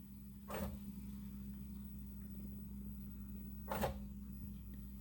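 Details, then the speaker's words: 2020 Chevy Bolt EV with propulsion power reduced, codes P1300 and U3634, and no air conditioning: a quiet, steady low hum under the hood with two brief whooshing surges; not contactors, AC compressor or HVAC suspected. "It doesn't sound like contactors. It sounds like something else. That does not sound good. Maybe that's the AC compressor trying to... Yeah, I think that maybe that's part of the AC compressor."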